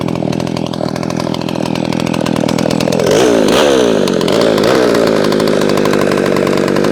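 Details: McCulloch SP-125 chainsaw with .028 jet (two sizes down), cutting at high revs and getting warm: thin, wandering pitch that sags and surges; owner suspects slightly lean, wants a .0285–.029 jet.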